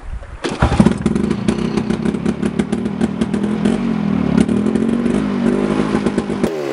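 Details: 1980s Homelite 330 two-stroke chainsaw, chain removed, being carburetor-tuned after repairs; it fires and keeps running with a rapid, slightly uneven burble, picking up smoothly as the carb is set.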